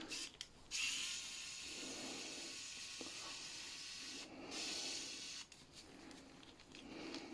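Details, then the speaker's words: Strong 120II manicure handpiece before repair, rattling loudly: a high thin whirr that rises and sags unevenly with a rough gritty edge; bearings in very bad condition, carbon brushes worn away, dust-clogged from heavy use. "Скажете, дівчата, що дуже торохтить. Зараз ввімкнемо, послухаємо. На дійсно оце так працює, да? Будемо ремонтувати, бо підшипники в дуже поганому стані."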